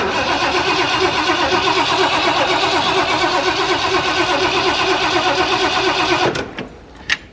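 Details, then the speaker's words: Camper engine after exhaust manifold job, first start after sitting about two months: starter labours in slow, even beats nearly three a second for about six seconds without catching; owner suspects low battery. "let's see if it even starts huh oh i'm freaking not gonna lie i'm nervous sounds like the battery might be a little low give it a couple pumps"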